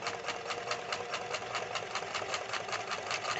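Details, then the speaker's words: White 1899 jeans sewing machine sewing thick army-type fabric: quick, even needle ticking about five stitches a second with no loud motor hum; smooth normal running. "and you didn't hear that large hum noise like you do with some mechanical machines isn't that nice beautiful just beautiful"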